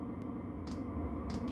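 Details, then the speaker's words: Chinese 12 V 5 kW diesel heater bench test on minimum setting; soft steady low hum, no knocks or rattles, very quiet. "but this is low need you just have a listen it's very very quiet"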